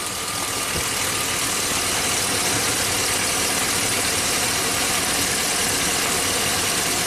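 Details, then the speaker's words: 2005 Chevy Silverado 2500HD, about 20,000 miles, remanufactured engine, misfire without check engine light: idling V8 with sharp dry snapping, three or four a second, over hissy engine sound; spark plug wire arcing, no spark reaching cylinder 2. "you don't hear the snap plug it back in snap snap snap snap snap snap okay that's definitely a problem"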